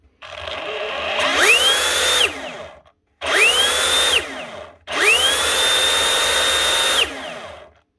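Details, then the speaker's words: Dewalt cordless SDS drill on trigger test: three pulls, each winding up to a piercing, steady high whine far above normal; motor overspeeding, controller problem suspected, not confirmed. "What is going on there? Something badly wrong there. That's running way too fast."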